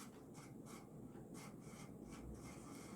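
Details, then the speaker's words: 1990s Casablanca San Marino 52-inch ceiling fan with a stack motor, on speed 6 (high): a faint dry scraping rub pulsing with rotation from worn bearings that need replacing, plus slight wobble from a possibly bent flywheel. "this noise isn't as bad as it was when i first got it but it's still quite horrendous so these bearings will have to be replaced unfortunately"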